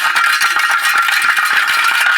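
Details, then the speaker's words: Big Bear 400 ATV stock muffler shaken by hand gives a dense, tinny rattle. The internal baffle has broken off and rolls loose inside the can, sounding like a box of rocks when riding. It was replaced with an aftermarket muffler. "That's what it sounds like the whole freaking time you're riding. I think the baffle must have broke more than what is it? Yeah, it it was in there just rolling on the bottom."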